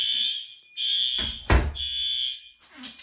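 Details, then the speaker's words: Fire alarm test, heat detector in bathroom triggered: loud high-pitched horn blasts in repeated pulses with short gaps and a door thud as the held door releases; horn strobe working normally. "That door let go like it should. Detector's activated. That strobe is working good. Horn strobe's good."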